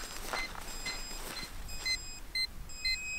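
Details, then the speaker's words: Hubsan H122D drone low-battery warning: high, even beeps about twice a second over a light hiss, heard from the remote controller, signalling end of battery and that the drone must land. "Et ben c'est tout simplement, je suis en fin de batterie, donc maintenant il faut que je me pose."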